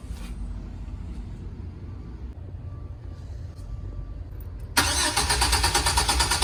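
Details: GMC Savana: after a quiet stretch the starter kicks in with an even, rapid chug, but the engine never fires or settles into an idle; crank no-start.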